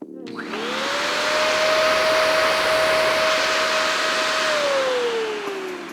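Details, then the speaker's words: Nissan 240SX (SR20) overheating fix: new Italian-made SPAL electric cooling fan on the shroud spins up to a strong, high, even whir, holds clean, then winds down; sounds faster than the old fan, runs normally. "That thing's definitely ripping. It sounds faster."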